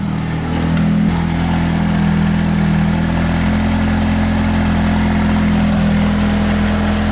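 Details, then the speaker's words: Nissan 180SX, stock turbo and tune, idling up with the A/C compressor on but not working, wideband reading full lean: a steady idle with a raspy, open puffing exhaust edge. A big downpipe exhaust leak. "see it idles up but yeah the compressor doesn't do anything so you can hear the leak"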